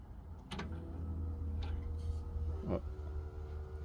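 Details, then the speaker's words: 1964 Chevrolet Suburban, electric fuel pump for the carburetor switched on after hooking up the gas tank; steady low hum with a tone shift as it primes and fuel reaches the front: normal fuel pump operation. "now I turn this on we should be able to hear the pump come on"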